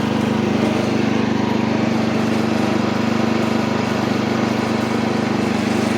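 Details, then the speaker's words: Old Montgomery Ward Power Kraft mower pulling off in first with choke and throttle fully up, no air filter fitted, oil full but due for a change; steady single-cylinder drone with slight unevenness; engine stutters under load, cause unknown. "Okay, we're moving. Alright. Little stutter in the engine there."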